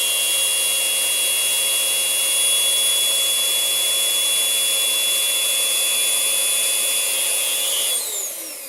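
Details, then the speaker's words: Rowenta Compact Power Cyclonic RO3786EA bagless vacuum, about two months old: loud, steady high whistle over the airflow roar. Its clogged HEPA filter had lost airflow, confirmed by swapping filters with an identical vacuum. "вот мы и выяснили причину все дела фильтре вот так называемые hepa фильтр он при длительном использовании уже потерял свои пропускные способности за этого начинается связь"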